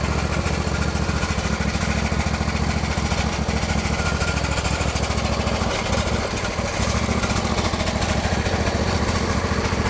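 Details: John Deere L120 lawn tractor, Briggs V-twin, sat about a year, after the fix: steady putter at a fast, even idle with no misses, surging or knocks; runs normally.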